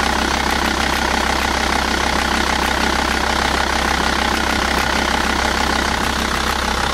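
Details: Volvo V70 TDI (VAG) diesel at idle: a steady, even rattle at a couple of beats a second. Not the vacuum pump; the timing belt tensioner makes the noise.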